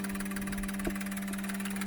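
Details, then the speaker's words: Injectors from a 2002 GM 6.0L LS drive-by-cable engine (likely pickup-bound) all firing; fast, even clicking over a steady pump hum, no skipped beats. Camera frame rate likely only makes it look like misfiring. Normal injector firing. "So here you can see all the injectors firing."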